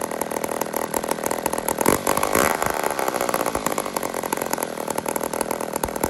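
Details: "150" chainsaw (Toronto, Canada), carburetor problem diagnosed and fixed, now runs normally: small two-stroke buzzes steadily at a fast, even rate with no stumbling or surging; wasn't leaking fuel.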